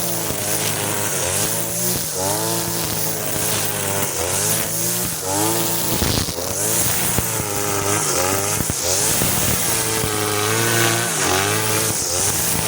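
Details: Side-mounted two-stroke grass cutter with string line, carburetor fuel screw turned half a turn for string setting: light, free-revving sound rising and falling cleanly while cutting grass, no labouring; running properly after adjustment.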